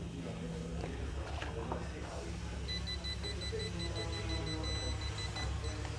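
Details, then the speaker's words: Pride Baja Wrangler 2 off-road mobility scooter, new, being driven off the pallet after assembly: rapid high-pitched warning beeps, display shows E, brake, code 5, because the neutral lever is engaged; locking the levers engages the brakes so the motors drive. "that means that you're in neutral. There's a little E that's popping up on the screen. It says brake and it's giving the number five. That means your neutral lever is engaged."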